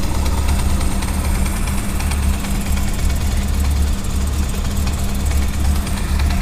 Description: Hi Youtubers, if any of you have a Honda CB400SF, is it normal to have this rattling sound upon start up. After a minute it goes away though.